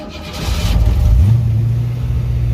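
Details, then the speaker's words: 1965 Mustang V8 with rebuilt C4 transmission, car on jacks: catches, surges in revs then wavers at uneven idle and occasionally stalls; vacuum leak suspected, probably brake booster. "as you can also hear the engine does this weird surgery and it stalls on occasion because well we do not have a solid air system here we got a vacuum leak probably in the form of that damn brake booster"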